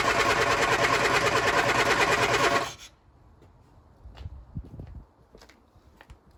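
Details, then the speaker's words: Lotus Elan cold start after sitting over a week, on a damp morning with choke and throttle pumps: quick, steady cranking at about three compressions a second for about three seconds, with no catch. Owner suspects fuel delivery; cranks, no start. "It's probably the old issues, isn't it? Getting the fuel up."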